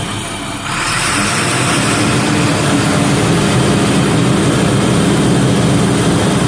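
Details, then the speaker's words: Neglected trash truck diesel, hydraulic oil cold, PTO on: engine climbs to steady high idle, deep drone; hydraulic return pressure rises from 20 to nearly 40 PSI against 0–26 green; return filter service light on, owner suspects filter, unconfirmed. "So if I turn on the PTO, I'm going up to 20 PSI, but if I turn up the high idle,"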